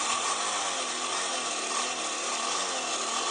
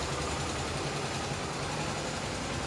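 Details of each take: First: Honda CBX 250 Twister still running with normal power: loud, sharp, shrill metallic rattle over the engine that fades as it winds down; slack cam chain from a failed tensioner. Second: Honda CBX 250 Twister on a lift after about 20 minutes of repair, with the noise possibly from the cam chain tensioner: quiet, steady single-cylinder putter at idle with the top-end noise gone; normal idle.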